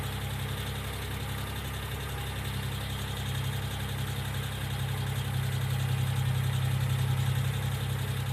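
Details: 1995 Geo Metro at idle: a steady light tick about four per second over a smooth low idle, believed to be lifter tick. B-12 cleaner is then added to the oil before an oil change; the cause is not confirmed.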